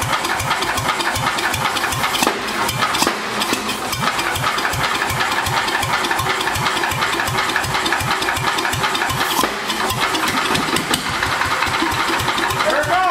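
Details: Vintage Wisconsin single-cylinder engine revived, mounted on the floor: even thumping at a steady beat with no misses or stumbles; running normally.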